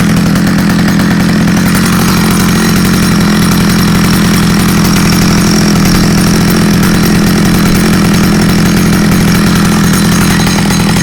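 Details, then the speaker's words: Stihl 009L chainsaw bought used and said to need fuel lines, on its first outdoor start test: a steady, loud two-stroke buzz that holds speed without stumbling or surging, so it runs well despite a broken, leaking fuel line. "That's good news. It runs and it runs really good actually."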